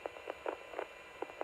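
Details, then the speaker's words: Motorola MTS2000 portable radio test transmission; irregular crackly pops and static over steady hiss from a grounding fault at the back of the mic. "I can hear that crackling that's the grounding issue on this radio again you can hear it again it sounds pretty awful"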